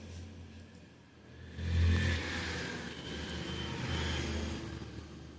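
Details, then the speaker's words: Epson printer with paper-jam/paper-out red light problem, powered on with used paper loaded; low motor whirring swells and fades as mechanism cycles through initialization before printing; normal start-up, nothing binding or grinding. "देखो अब ये जो जैसे इसकी आवाज़ें आ रही हैं, इसको हम बोलते हैं निशिलाइजेशन।"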